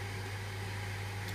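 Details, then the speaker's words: Ice-builder refrigeration condensing unit: a steady electrical hum and a sharp contactor click, but no fan rush because the condenser fan motor has seized. The motor warms up and trips its thermal overload, so the system runs minutes then trips. "you can hear the contact Tak in but the fan doesn't run and turn the off"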